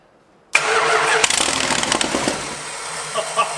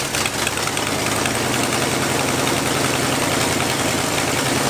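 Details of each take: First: 1986 Dodge Ramcharger engine restarted after reassembly, catching after a brief crank and running loud, raspy and blatty because the exhaust is unbolted and leaking; rear wheels jacked off the ground for the test. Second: 1986 Dodge Ramcharger after tightening the loose, screaming belt and fitting the carburetor return springs: steady, even engine run with a smooth constant note, no squeal or misses; carburetor performing well, normal running.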